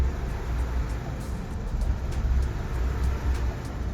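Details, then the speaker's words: Acura RSX warm engine: very low, rough, lumpy idle around 200-300 RPM, sometimes stalling, needing a little gas to keep idling. "And as you can see here, the idle was very low. This engine was warm at this time, and then sometimes it would just stop, the engine would stall and die out, and I have to restart it and just give it a little bit of gas to maintain idle."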